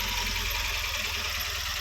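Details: Tata Nano 2012 petrol with check engine light and random multiple-cylinder misfire code: steady idle with a faint uneven low pulse, occasional lighter beats; misfire.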